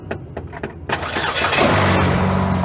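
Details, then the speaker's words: 2007 Chevy Cobalt that wouldn't start with jumper cables, battery not the issue: sharp metallic taps on the starter, then the engine cranks and catches into a steady idle; failing starter motor needs replacing. "yep I tapped on it she needs a starter ladies and gentlemen so you unhook the jumper cables"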